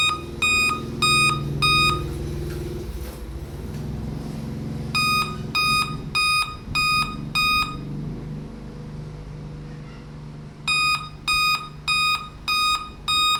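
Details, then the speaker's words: Dell computer at boot: groups of five sharp high beeps repeating with striped display; graphics card failure, not a faulty monitor. "ยกตัวอย่างว่าเขาเปิดเครื่องเนาะอาการของเครื่องตัวนี้มันจะมีเสียงตีดตีดตีดตีดห้าครั้งเนาะห้าครั้งแล้วก็จอของมันจะเป็นแบบลายๆแบบนั้นนะ"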